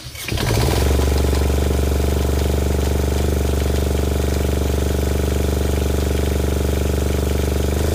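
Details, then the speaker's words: Fischer Panda 5k diesel generator on a Grady White 330 boat, after replacing failed throttle actuator and reprogrammed boost board (previously stuck at idle, about 90 volts); cranks and catches fast, steady even drone at 120 volts; normal start and run. "all right now you can see we're running we're at 120 volts"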